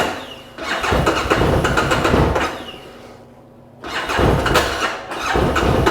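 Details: 2013 Bennche Spire 800 side-by-side, after the cranking problem was fixed: fast, even cranking in two bursts with ragged catches that never settle; fuel pump heard priming but the engine won't fire cleanly, cause not yet found.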